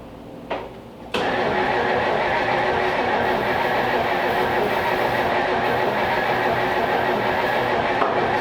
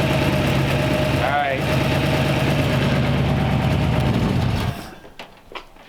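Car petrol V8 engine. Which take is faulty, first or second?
first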